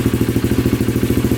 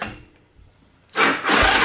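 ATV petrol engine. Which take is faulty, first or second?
second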